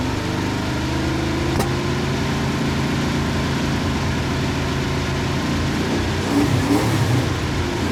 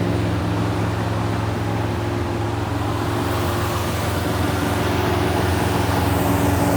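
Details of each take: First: 1971 Plymouth Satellite with a 318 V8 and a newly fitted shelf Thermoquad carburetor: steady idle with quick, clean throttle blips that rise and fall promptly without stumbling. The accelerator pump works; normal, snappy free revving. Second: 1971 Plymouth Satellite 318 V8 with a newly fitted Thermoquad carburetor: steady even drone held well above normal idle, around 2,000 rpm, not dropping back; fast idle because the secondary air door, linked to the choke pull-off, is hanging up.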